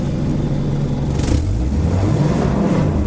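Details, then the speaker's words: Subaru Forester climbing an off-road hill: engine revs freely and flares with no load change, with one rear wheel not spinning. Snapped CV axle; the Torq Master was also broken. "like the rears aren't spinning. Really? This left one's spinning. This one's not. That ain't right. That ain't right at all."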